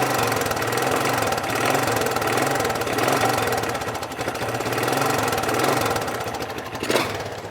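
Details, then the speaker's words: Bike with a used motor swapped in from a beater bike: quick, uneven knocking about four times a second over the running engine; engine knock, cause not yet found, motor to be pulled. "don't know if you guys can hear that that's not the original motor I just threw that motor in off a bit of a beater bike so there's a knock in there"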